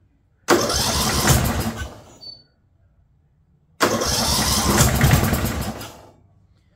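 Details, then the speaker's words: Abandoned 2004 Murray lawn tractor, Briggs 12.5 HP overhead-valve single, unknown history: two short cranking bursts that never fire; starter and battery good, but owner believes the piston hit and battered the spark plug electrode, so no start. "I believe the Piston has hit that spark plug and beat it to the electrode"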